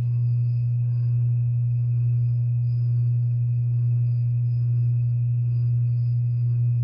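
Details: 52-inch Harbor Breeze Lakeside II ceiling fan, polished brass, before restoration, stuck on low on all three speeds: the failing capacitor is cracked and slightly melted. Loud steady low hum with slight slow pulse, no speed rise; capacitor to be replaced.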